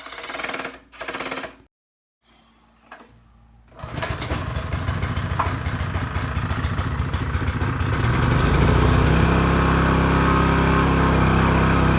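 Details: Pressure washer that wouldn't start due to a bad ignition coil: small engine catches after a few pulls and settles into a steady even beat at about 3.5 pops per second, running normally.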